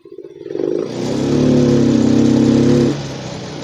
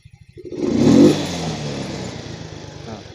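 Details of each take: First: Yamaha Mio M3 125 injected scooter, injector cleaned, fuel pump and TPS normal, limited to about 20 km/h: throttle opened slowly, revs climb lazily, flatten and sag while throttle still opening; faulty ECU causing hesitation, not wiring. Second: Yamaha Mio M3 125 injected scooter after replacing faulty ECU with a good one: idle putters, then quick clean rev rises in about half a second and falls back smoothly with no bogging; throttle response now healthy.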